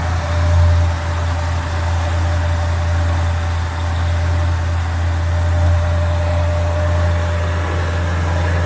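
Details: 1965 Chevrolet Impala convertible with new Chevrolet 350 crate V8 and Muncie 4-speed, cold start with choke set: steady even low rumble with fan hiss behind, no knocks or misses; healthy cold idle.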